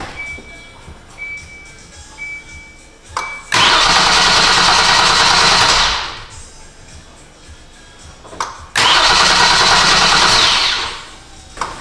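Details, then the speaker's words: 2015 Kia Sorento 3.3 GDI, towed in, intermittently cranks but won't start despite dealer visits; two bursts of steady fast starter cranking, about three seconds each, with no firing; fuel gauge reading empty noticed afterward. "the tow truck just dropped it off and it still doesn't start so that's good"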